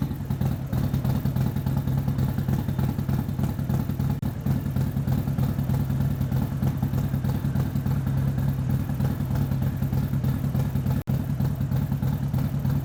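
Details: Harley-Davidson Street Glide with stage 3 kit and nitro: deep, steady potato-potato rumble with even loping beat and no knocks or rattles; normal V-twin idle.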